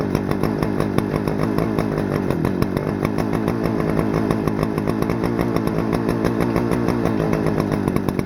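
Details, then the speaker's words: Stihl FS-250R 40cc two-stroke trimmer after carb rebuild kit, 50:1 ethanol-free fuel, setting high idle screw at full throttle: high steady scream, clean and even, no bogging or surging; normal full-throttle run. "Set the high idle screw while it's running on full throttle. Nice. Alright, well, it runs great. Boy, that thing revs pretty dang high."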